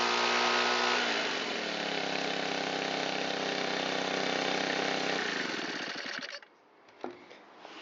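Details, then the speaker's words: Shindaiwa EB254 Hybrid4 4-stroke blower, long unused, on fresh mixed fuel with choke and throttle locked: holds a steady middling speed, never reaches full revs, then sags and dies. Owner suspects stiff carburetor diaphragm and pump parts. "I'm sure the carburetor has some pretty stiff diaphragm and pump parts inside it, which is why it won't come up to full throttle."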